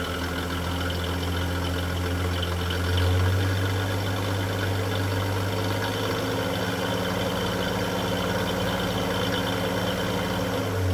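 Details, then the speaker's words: 1946 Chevrolet truck Stovebolt 216 inline six, original 6-volt system, warming up after cold start following nearly a month sitting; smooth even low rumble, no knocks or misses; normal idle. "as you can see uh the engine runs as good as the truck looks that's how it should always be um these old engines are bulletproof so uh"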